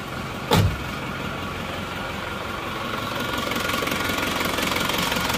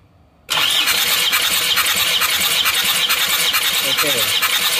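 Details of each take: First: Isuzu Panther diesel, cold morning start before repair, with compression as low as 15 bar: rough, clattery, uneven idle while smoke already comes from the oil filler even cold, showing ring wear and blow-by. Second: Isuzu Panther diesel, cranking during a compression test of cylinder 2 (sluggish before): brisk, even cranking with firm strokes; pressure rises quickly to 30+ bar, so compression is good.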